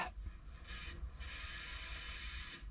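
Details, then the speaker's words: Boat refrigerator switched back on after a 15-minute fix for a recurring once-or-twice-a-year fault: soft continuous hiss with light gurgling that swells and eases, the sound of freon moving; refrigerant circulating normally, fridge working. "that is the sound of freon moving"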